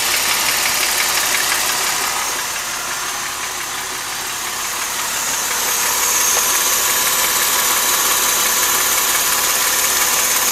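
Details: 2005 Mercedes SLK350, M272 V6 at idle: light, regular, sharp metallic ticking knock about three times a second, present since 80,000 miles; owner suspects scored cylinder wall, engine later failed around 130,000 miles; cause unconfirmed.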